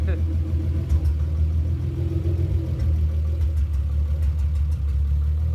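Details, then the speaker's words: Mk2 Toyota Supra with 2JZ-GE swap on test drive after new driveshaft support hardware and driveshaft nuts and bolts torqued; steady low drone, no clunk, whine or rumble, drivetrain noise gone (car still has intermittent misfire issue). "so Joe and Jack just took the super out for a test drive and it seems to be working okay now drivetrain noise is gone"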